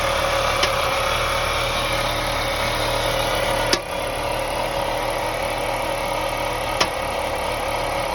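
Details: 2001 BMW 525i E39, M54 engine, idling steadily, broken by occasional sharp single knocks roughly three seconds apart. Owner suspects loose spark plugs causing a misfire; not confirmed.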